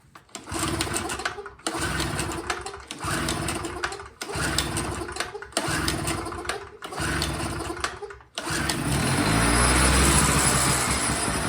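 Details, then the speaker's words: 2hp Chicago electric generator small engine that won't stay running: fires and runs about a second then dies, repeatedly before holding; fuel starvation, carburetor found needing cleaning. "It's just blue and it's got Chicago on it. And as you can hear, it runs and then it dies. So I'm going to pull the carburetor off, just make sure that the carburetor is not the issue, and then we'll go from there."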